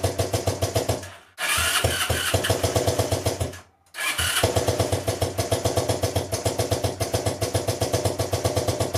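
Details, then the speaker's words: 2002 Yamaha Breeze 125 quad after an engine rebuild for a bent valve. The single cylinder thumps unevenly, stumbling and nearly dying twice before picking up. It is slightly better than before but still choppy. Rough running, cause unknown. "it does sound a little little bit better but I mean it's still just running really weird"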